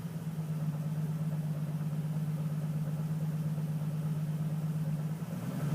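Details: Nissan 350Z petrol engine, low droning idle with an uneven lumpy beat settling after a rev; misfire, owner also suspects slight knock, not clearly heard.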